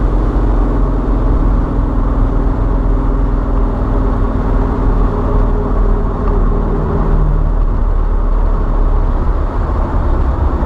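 Steady low drone from the moving car with a faint buzzing tone over it that drops out near the end; transmission suspected but unconfirmed.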